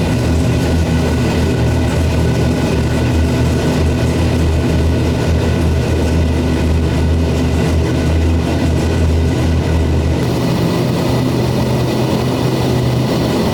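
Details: First start of a C6 Corvette drift build with a 427ci single-turbo LS V8, after swapping crank/cam sensor wires; deep steady rumble, idle slightly uneven and unsettled but holding; rough idle after first start.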